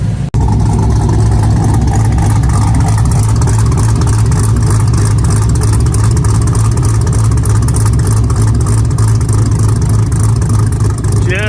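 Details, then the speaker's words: LS-swapped third-gen Camaro, warm, idling after IAC steps set to six: deep, loud, even V8 exhaust burble at about three pulses a second, steady throughout; exhaust finally sounding better, normal idle. "so i want you to hear the exhaust now she's finally starting to sound better"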